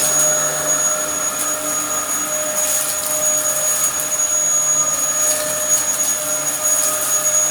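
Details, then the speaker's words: Likely the Dyson DC07 upright from a neighbour, mint apart from dirt but with a broken chassis, running: steady high-pitched motor whine with a thin whistle on top, holding pitch evenly. Running normally. "it came from my neighbor they got a shark and didn't want it and it works okay"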